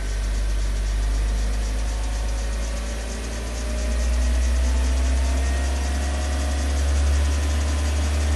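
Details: Opel Adam S engine at idle: loud low idle with a clack repeating about three times a second, steady with the idle; clacking of unknown cause.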